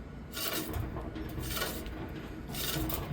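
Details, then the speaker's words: Old alternator removed from a 2015 Nissan Frontier and spun by hand: dry, raspy grinding in bursts from a worn-out ("toasted") bearing, compared with the new unit. "bearing is toasted compared to the new one."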